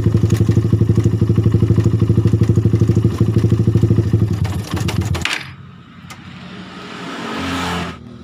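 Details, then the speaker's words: Suzuki Satria FU motorcycle idling with a rough metallic ticking (klotok) around the cylinder head; suspected worn or damaged cam chain tensioner letting the cam chain go slack, noise comes and goes. "mungkin otomatis kenakan rantai ketengnya ini atau tonjokan rantai ketengnya rusak jadi rantai keteng Hai menjadi kendor dan kadang-kadang bunyi kadang-kadang tidak"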